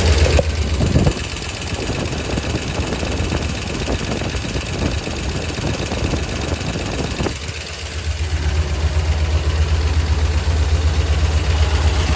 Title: Lifter tick?